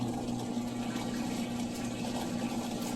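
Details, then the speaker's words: Whirlpool washer that wouldn't drain: after a click, steady low drain pump hum with water gushing through evenly, no grinding or rattle; draining normally. "It should start spinning. Hear it draining."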